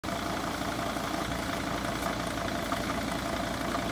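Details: 2006 Mercedes Sprinter diesel idling: steady rough whir with faint ringing from the front of the engine, a failing fan clutch bearing.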